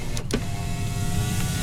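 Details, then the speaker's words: Truck at 167,282 miles: during a test drive the power window motors work well, giving a smooth, even motor whir at steady pitch as the glass travels and a soft stop at the end; normal power window operation. "It's got the power window motors are working good."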